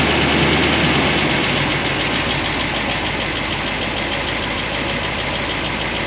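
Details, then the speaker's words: 1976 Corvette V8 with solid roller lifters on a hydraulic roller cam, warm idle after a heat cycle, lash reset from 10 toward 5 thousandths: light even ticking clatter, reduced but present, from valvetrain noise of pushrods rubbing guide plates. "We're letting it run. It's still making a little bit of noise, but not as bad as before."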